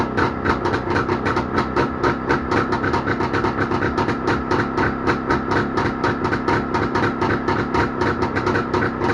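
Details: Jawa motorcycle two-stroke engine started after repair, thumping along with a steady, even beat and no knocks or rattles; normal running.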